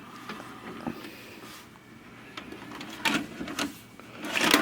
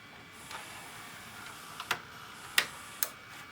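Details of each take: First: Vintage VHS/DVD combo, VCR side: takes the tape in, brief motor whir and clicks, then shuts down without pulling the tape; owner suspects mechanism binding, probably gummed up, unconfirmed. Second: Vintage VHS/DVD combo: a few sharp isolated clicks as a tape goes in, the head mechanism engaging normally; earlier it would not engage at all.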